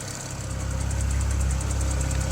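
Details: BMW N54 at idle: light, fast, even ticking about nine per second over steady idle, heard from one side of the engine only; origin unknown.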